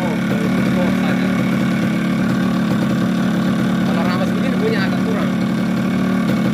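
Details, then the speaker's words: Yamaha RX-King two-stroke fitted with a Yamaha 125Z cylinder head, after a full engine teardown (connecting rod and block replaced, magneto rotor rubbing fixed) for a very rough-sounding engine; now a steady, even idle burble with no knocks or rattles, normal. "nah ini bunyi bagus"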